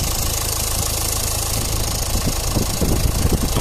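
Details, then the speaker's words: Renault Clio Estate 1.5 dCi diesel idling before a hydrogen decarbonising treatment, with a rattly clatter and random, irregular injector knocks; no warning lights on, yet a diagnostic scan showed many fault codes. "alors je sais pas si on arrive à entendre sur la vidéo mais on entend un claquement d'injecteurs voilà c'est pas si plat bien entendu donc c'est aléatoire mais il est quand même présent"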